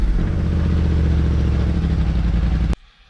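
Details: Kymco CV3 scooter with replacement silencer gives a deep, full exhaust rumble through a short throttle blip, quieter than the original, under 90 dB in a closed garage with the scooter on a table causing transmission resonance; normal exhaust note.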